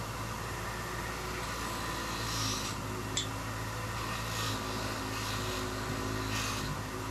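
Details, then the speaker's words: Grinder cleaning Ford 400 engine parts: steady motor hum that sags and roughens each time the work is pressed in, with gritty scraping bursts on top; the tool bogs under load and has no power. "it always sounds like I'm pushing hard this thing has no power"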